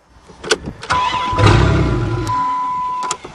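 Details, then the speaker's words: Chrysler minivan engine just unseized, still tight, on a sideways van: several uneven clunks, then cranking catches and settles into a rough but steady run; normal cranking and start after being brought back to life. "well we have brought you know what back to life risen from the dead"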